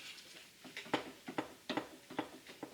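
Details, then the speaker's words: 2008 Acura TSX, rear sway bar rocked by hand from under the car: a sharp little clack, about eight in three seconds, from play in the worn rear end link; both rear end links need replacing. "you hear that this end link here has play in it"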